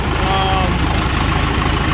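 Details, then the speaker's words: John Deere 450 diesel after in-frame rebuild and completed break-in run at set rpm; steady, even chug at a fixed speed with no knocks or rattles; healthy; head re-torque and valve check planned after cool-down. "it's been running really well no bad noises"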